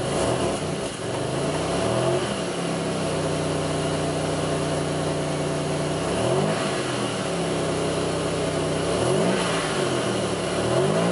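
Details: 2002 Pontiac Grand Prix 3800 V6, no check-engine light, alternator overheating, faint intermittent thumping at rough idle. Short throttle blips where the pitch swells slowly and sags instead of climbing cleanly: engine bogs when revved, cause unknown.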